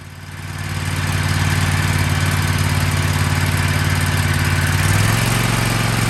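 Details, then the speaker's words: Kohler 7000 Series KT735 24 hp engine on a Toro MX5050 zero-turn mower, after replacing no-name spark plugs (fuel filter, pump and carburetor already replaced): steady, even low drone with smooth beat and no misses; running normally. "New plugs is all it needed. I could have saved a lot of time and frustration if I'd have started with something as simple as that first."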